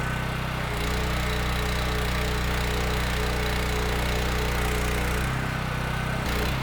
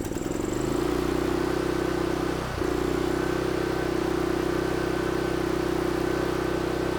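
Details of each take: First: Mi-T-M 4000 PSI, 4 GPM gas pressure washer, gun valve open, thermal relief valve leaking. Steady, even engine drone with the pump pulling water, no misses or knocks. Runs healthy under load; the pump was expected to stutter but didn't. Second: Mi-T-M 4000 PSI pressure washer engine with a full tank of good-looking fuel: a steady drone that dips and stumbles, puffing, and only keeps running on choke. Owner suspects the carburetor needs cleaning.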